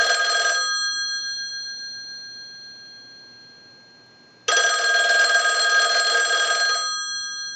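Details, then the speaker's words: Verizon single-slot payphone at initial checkout, analyzer sending ring cycles like an incoming call: two bursts of fast, even clanging at about four strikes a second with clean decay and silence between; healthy ringer. "now what we want to do is go ahead and use the analyzer and send a ring cycle like you were getting a call so we'll start that"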